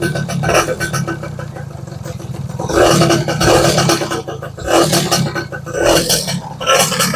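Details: 1994 Yamaha Y110SS two-stroke motorcycle during restoration: running, blipped in uneven bursts about every second, crackly but firing steadily, before tuning; running normally.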